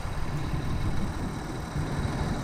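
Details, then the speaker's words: 1999 Lexus ES300, 68k miles, 1MZ-FE V6, codes P0300/P0301/P0304: deep lumpy idle with repeated stumbles; ignition analyzer shows cylinder 1 ignition (not mechanical) misfire from a faulty coil, before coil and plug replacement. "take a look at cylinder number one you see all those drops those are misfires we know for sure that this cylinder is misfiring and it's an ignition misfire not a mechanical misfire"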